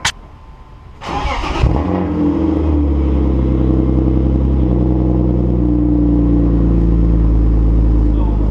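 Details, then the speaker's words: BMW E36 M3 six-cylinder, after adding a custom-fabricated muffler exhaust: starter whirs briefly, engine catches, then steady, even, subdued idle with no rasp or drone; much quieter, normal idle. "so much quieter so nice"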